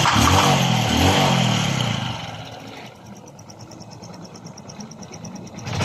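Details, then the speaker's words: Honda RS125 Fi engine after teardown and rebore for confirmed piston slap, air cleaner and exhaust refitted: a couple of quick revs settle into a soft, even idle with no slapping or ticking, sounding like new. "Oh my god Wow balik na sa brand new ang kanyang tunog"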